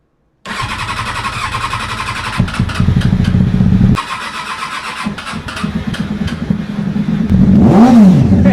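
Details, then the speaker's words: Triumph Daytona 600 with an injector fault code: idle won't settle, with revs surging up and down every second or two; owner suspects uncapped holes under the airbox letting in extra air, unconfirmed. "Listen to that hunting hom. >> I think I know what that's from."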